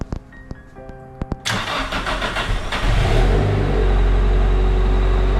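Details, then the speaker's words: Nissan S15 SR20DET first start after VVT sprocket replacement for VVT rattle, before warm-up: a few clicks, then it catches at once and settles into a smooth, even, noticeably quieter idle with no rattle; healthy start-up. "so far so good yeah it sounds better sounds a lot more quier as you heard from the beginning of"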